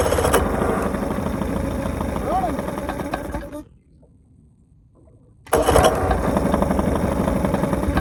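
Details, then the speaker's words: Bass boat outboard at idle, with fuel leaking: rough, lumpy beat with a gap where it nearly dies; owner thinks it is running on one cylinder, cause unconfirmed. "Okay, it sounds like it's running one cylinder. That's not good. Hopefully I didn't blow it up."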